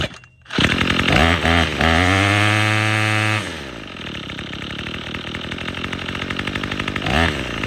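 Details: Troy-Bilt TB22EC string trimmer that wouldn't start after sitting, after primer bulb replacement: fires up, climbs to a high steady buzz at full throttle, then drops back to a smooth idle; trimmer runs cleanly.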